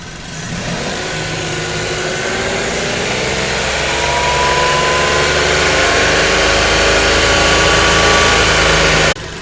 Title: Datsun Go engine noise